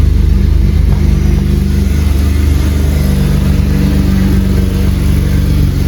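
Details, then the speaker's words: BMW E36 drift car revved after fitting new, slightly wider exhaust manifold gaskets: a fast, uneven puffing tick of about four per second rides over the revving engine; the manifold gasket still leaks and the correct part is needed. "Bon, résultat des courses, ça fuit toujours, génial."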